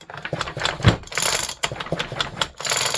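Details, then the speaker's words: Early 1976 Homelite XL-76 chainsaw with cooked piston: irregular loose rattling and clacking with each hand pull of the recoil starter cord; something loose inside the recoil housing, cause not confirmed. "Also, the recoil assembly has some gremlins in it. I don't know if you'll be able to hear it,"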